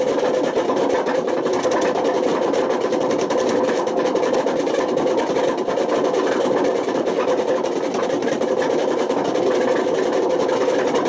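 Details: Washing machine spinning with worn-out drum bearings, a loud, constant coarse roar and rumble throughout; the failure has damaged the spider and worn the motor.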